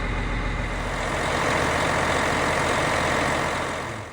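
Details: Caterpillar Challenger 95E diesel just started after a 250-hour service with Witham oil and genuine Caterpillar filters, oil pressure up: steady, even idle with a deep, unchanging beat and no knocks or rattles; a healthy, normal idle.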